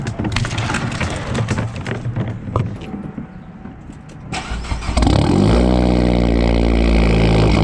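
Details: 2012 Fiat Abarth: handling noise, then the engine cranks and catches into an uneven, stumbling idle just after startup, a misfire. Cause not yet found.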